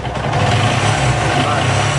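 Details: Bajaj Pulsar 220 engine: busy mechanical rattle over a steady idle with dull knocking underneath, a worn rod, piston and balancer knocking inside.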